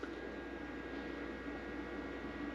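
Steady, even hum with a faint high whine and fan-like hiss, no buzzing or crackle; inverter has started and runs normally.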